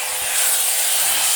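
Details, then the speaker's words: Kiyoko grinder (Hitachi-compatible parts) after repair of growling-then-dying fault, test run: steady high airy spin, no growl, rattle or dropouts, no sparking; normal running. "dan halus suara mesinnya [Musik] bersih tidak ada percikan bunga api"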